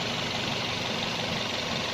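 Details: Toyota Vios gen 1 (2003-06), after fixing a vacuum problem that made the engine shake: steady, even idle with a constant hum and no dips, stumbles or shaking pulses; the engine is running smoothly.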